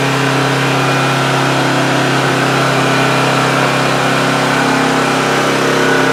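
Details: Homelite GC1800A 1800-watt generator from 2008, running about 10 minutes with the choke wide open after the carburetor pilot jet was opened up: smooth, steady drone, previously only ran on choke. Normal running.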